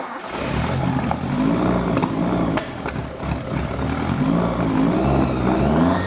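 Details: Mitsubishi Sigma on its first decent run after a custom exhaust was fitted from the headers back, choke in use: revs rise and fall unevenly with a ragged, hesitant note that never settles, the carbs running very lean.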